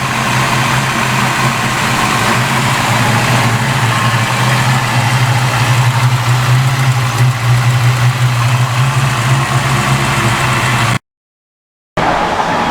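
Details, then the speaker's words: Fox Body Mustang V8 with new O2 sensors and fuel pressure turned down to about 40 psi: a low idle drone rising and falling unevenly instead of holding steady. The idle is hunting; the owner suspects the computer is relearning. "I don't know, the idle sounds like it's still hunting around, but that could just be the computer trying to relearn."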